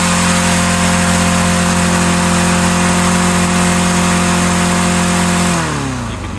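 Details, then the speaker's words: Auction-lot lawnmower with auto choke, carburetor tampered and choke unhooked: loud steady high-pitched buzz at far too high rpm, then winding down at shutoff; engine overrevving, later blew up. "turned off and it just started running correctly. It was way too high of RPM. I should have checked it and I didn't. I just let it go. It blew up."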